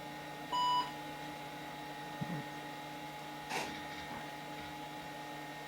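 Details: IBM PS/2 Model 80 with 12 MB RAM, revived after its hard drive wouldn't spin up: one short clean POST beep over a steady fan and drive hum; it boots normally.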